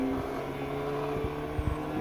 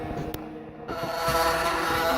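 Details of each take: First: Homemade 3.5 W laser cutter (RAMPS 1.4, TTL on/off) doing a final cut on vinyl sticker: steady motor hum and buzzing with dull knocks as the gantry moves; machine vibrates, bearings noisy and not smooth, shouldn't make noise. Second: Laser cutter with 3.5 W laser on RAMPS 1.4 cutting vinyl sticker: stepper motors whine and shift pitch as the axes change direction through the cut, no stalls or grinding; normal operation.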